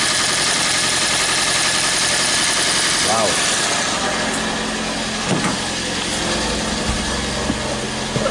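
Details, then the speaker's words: 2012 Toyota Prius C (Aqua) hybrid with P0560 circuit low voltage no-ready-mode fault, running after replacing a missing fuse: steady even engine hum with light mechanical whir, no knocks or misses; running normally, some faults still stored. "yep and we got the car running"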